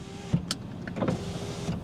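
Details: Budget used luxury car power window running with a steady low electric motor hum and light clicks and rattles. Three windows work; the offside rear doesn't, and something, possibly a relay, clicks near the glove box. Normal power window operation.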